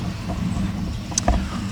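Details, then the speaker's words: V8-swapped Dodge Dakota with eBay exhaust kit and Flowmaster muffler; deep steady idle rumble, even beat, no misfire or ticking: normal V8 exhaust rumble. "the dakota after the v8 swap here we go you can hear rumbling shooter flowmaster"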